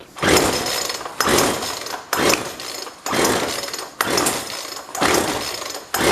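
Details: Used Jonsord 2036 Turbo chainsaw from a neighbor, condition unknown: about one rasping pull per second with no pop or catch between pulls; cranks over but never fires.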